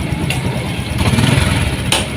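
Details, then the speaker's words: Honda Supra X 125 fuel-injected single-cylinder engine after cam timing chain replacement for a noisy engine, revved up: even, steady beat with no chain rattle, very smooth; timing chain now quiet, normal running. "Sangat mantap, halus sekali. Halus, tidak ada suara kemrecek, betul-betul halus."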